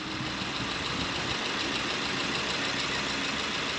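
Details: Maruti Ertiga diesel (Quadrajet) idling: even clatter with a steady beat and no loud, sharp knock standing out; the engine sounds normal.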